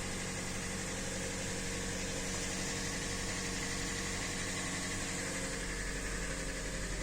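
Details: Hyundai Elantra 2014–2015, G4NB 1.8 L naturally aspirated aluminium engine, automatic, 51,000 km, first owner; knock began after a start in severe frost: steady idle with faint, fairly quick tapping in the engine hum; knock at idle, source not pinned down.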